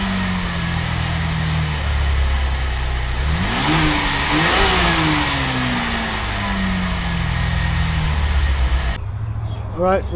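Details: 2023 Chevy Traverse after exhaust pipe rewelded and gaskets checked: engine catches and settles, clean rev rises and falls, exhaust tight with no puffing or ticking from a leak.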